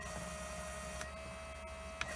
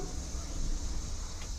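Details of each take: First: Fuel injectors from a 1000 hp, 21 psi turbo Trans Am on E85, bench tested and cleaned: steady hum with sharp click about every second; two injectors found badly clogged, gummed up by E85. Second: Pontiac Trans Am, about 1000 hp turbo small engine on 21 psi boost, fuel system work with fuel pump fuse left in: key-on fuel pump primed a few times, steady low electric hum under two seconds, no stutter; normal fuel pump prime.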